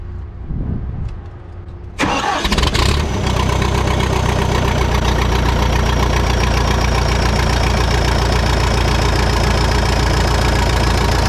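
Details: Bobcat 883 with remanufactured Deutz diesel engine installed, turbo pipe not yet fitted: cranks briefly, catches about two seconds in, settles into steady even idle, no knocks or misses; normal start and idle.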